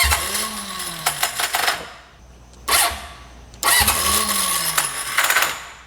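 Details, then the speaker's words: Junkyard Honda CB750F that sat for decades, cranking with choke: two attempts, each a rising then falling starter whine with ragged clatter, never catches; slipping starter clutch. "all right just got to get her to hold on a little more oo starer clutch is not happy"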